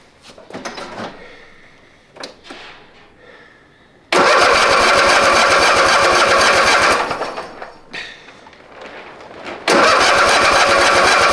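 A couple of starter tries, then the engine catches with a loud steady roar, dies back, and restarts firmly: it starts and runs fine.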